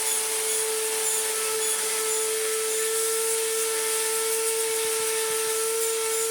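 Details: Restored Electrolux Z1910 Self Propelled vacuum on a rug: loud harsh motor, steady high whine with gritty rasp while vacuuming; sounds terrible, worn motor bearings; post-motor filter pad working loose.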